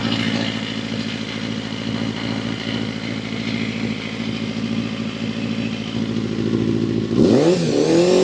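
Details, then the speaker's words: Honda CBR250RR MC22 under restoration, newly refitted carbs; fast, uneven, crackling exhaust beat that won't settle, then a sharp rev. Owner suspects old fuel and a slightly stuck ring; unconfirmed. "Curious what's that? Sounds just a bit off."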